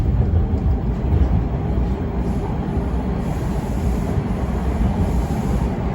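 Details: TTC Toronto subway Bombardier T1 car 5283 on Line 2 westbound from Keele, January 18, 2022: odd loose rattling over the deep rumble of the car rolling on the rails. Cause of the rattle unknown.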